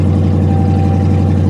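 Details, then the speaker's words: Pontiac G8 GT V8 at auction with exhaust cut off, raw fuel smell: deep, loud, raw idle with fast throbbing lope and no muffling; loud idle from missing exhaust. "so somebody's cut the exhaust that is wonderful"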